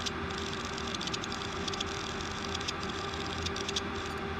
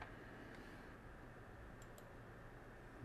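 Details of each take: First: Old 160GB Seagate hard drive on power supply: quiet hum with constant whine and quick irregular typewriter-like ticking clatter; slight contamination found on head assembly. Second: 160GB Seagate hard drive after cleaning slightly contaminated head assembly, previously clicking like a typewriter: quiet steady whir with no clicking or chattering; drive spins up, becomes ready and runs normally.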